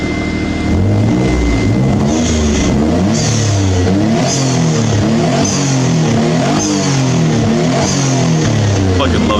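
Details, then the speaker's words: Mitsubishi 3000GT VR4 after CX Racing intercooler and piping install: revs climb and drop repeatedly, each lift-off followed by a crisp sharp whoosh from the blow-off valve venting normally. "You guys want to hear the blow-off valve?"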